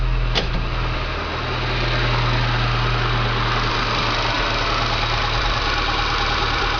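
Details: 1995 VW Pointer, parked six months because the owner thought the engine had internal problems, after diagnosis and repair: steady, even idle with a smooth low drone, no knocks or ticks; normal idle.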